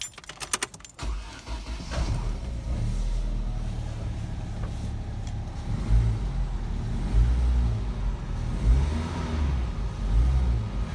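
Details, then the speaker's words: Vauxhall/Opel Zafira B 1.6, battery at 10.93 V and slightly weak but in the green on load test, started at minus two degrees: short quick crank, catches within a second, even idle; battery strong. "that started up pretty well so uh it's got a good it's a good strong battery"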